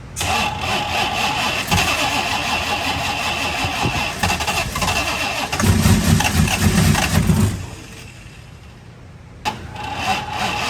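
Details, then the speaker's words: Car with ignition timing that has been tampered with and idle air setting off: long rough crank, then catches and idles unevenly with a lumpy stumbling beat; very hard to start because of the timing. "Do you hear how it's very hard to start? yeah. That's why the car is so hard to start, because the timing's been messed with."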